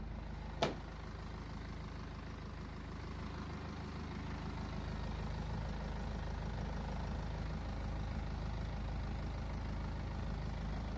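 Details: BMW 520d N47 diesel idling in Drive, timing chain already replaced: a deep, uneven rumble with faint pulsing, roughly three to four beats a second, with noticeable vibration. Cause unknown.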